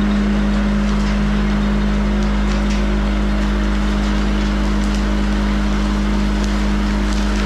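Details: Van Dale silo unloader running in the silo after setup, greasing and oiling; steady even drone with constant low hum, no knocking or grinding; running smoothly, silage coming down nice and smooth.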